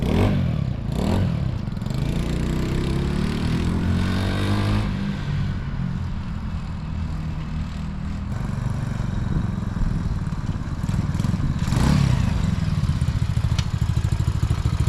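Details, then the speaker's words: ATV small single-cylinder engine after carburetor repair and throttle adjustment: revs up and settles to steady, even idle putter, responding cleanly; running better than ever. "all right sounds like it's that one right now that sounds good all right let's shut up and try started again running better than ever did"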